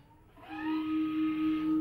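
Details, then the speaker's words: 2019 Tesla Model 3 (built after September 2019) reversing in garage via Summon; Pedestrian Warning System emits steady hollow spaceship-like synthetic hum with slow swell; normal reverse warning sound, tone varying with speed 0–19 mph. "right there you can hear our hum it sounds like a spaceship right"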